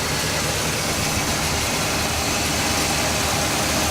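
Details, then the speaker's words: Carbureted Chevrolet El Camino started after sitting 15 years, on a little fresh gas with old oil not yet changed, fan belt slightly wobbly: a steady, even idle with a mechanical rustle and no knocks or misses. Normal idle. "After 15 years, with just a little bit of fresh gas, and what I am going to do is change the oil in this thing. I haven't done that. I just want to show you guys that this thing still runs."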